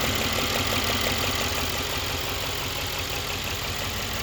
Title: pretty weird noise on 2016 c63s amg engine